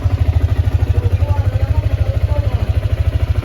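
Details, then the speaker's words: Yamaha Sniper 155 after 4 months, 2,336 km odometer, freshly cleaned and still smoking; even low thumping idle with faint light ticking, stated normal, quieter when clutch lever pulled. "Yan yung tunog niya mga boss, 4 months yan. Normal lang yan mga boss kapag may naglalagitik. Yan, normal lang yan. Yan talaga yung sniper."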